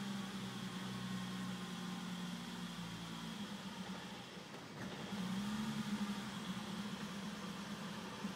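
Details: BMW E34 M5 idling rough: the idle hum wavers and dips unevenly, with the pitch sagging and recovering instead of holding steady.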